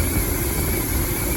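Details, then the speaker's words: 2006 Dodge Ram 1500 Mega Cab after a fuel pump replacement that did not fix the problem: a lumpy, uneven low chug with a stumbling, irregular beat. The engine runs rough, and something is heard sparking. "Running like crap right now. Thought maybe if I pulled the light away I could see. Yeah, it's running like crap. You guys can hear how bad it is."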